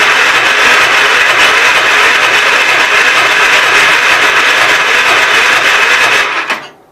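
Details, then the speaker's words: Gravely 810 with extra gas dumped in the carburetor and good spark. Fast starter churning that never catches, then slows as the weak battery fades. Owner suspects flooding and tries choke off, but it won't fire the gap. "I don't know turn the choke off maybe it's flooded I don't know nope just won't burn that Gap"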